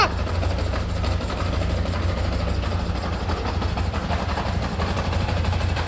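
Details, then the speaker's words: Kawasaki Zephyr 750 being revived, first start on a new battery with a bit of choke and carbs leaking. Low, lumpy, uneven idle; suspected not running on all four cylinders, a misfire not confirmed. "don't think that's all four cylinders that's"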